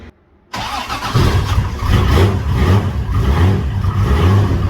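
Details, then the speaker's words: Toyota 7M-GTE just reassembled after rebuild, TPS calibrated, cold start (still poor): fires then stumbles at very low uneven idle around 400 rpm with lumpy irregular pulses, nearly stalling; rough cold idle. "yeah it's about to die so i've just started up again but uh yeah straight away good times and uh ignoring the horrible noises it was making as i was trying to idle at like 400 rpm"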